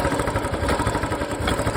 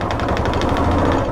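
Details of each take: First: Royal Enfield Classic single-cylinder with a complaint of odd noise when picking up, after parts were cleaned and refitted: steady thump with a light even valve tick, no knocks or misses; idle sounds healthy. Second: Royal Enfield Classic single: fast, sharp puffing chuff, roughly ten a second, over the engine beat when taking pickup, absent at other times; exhaust gas escaping past a blown head gasket.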